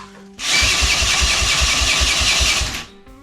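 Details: Triumph Tigress scooter under restoration: the small engine cranks in quick, uneven chuffs for about two seconds and stops without catching; it is not firing yet.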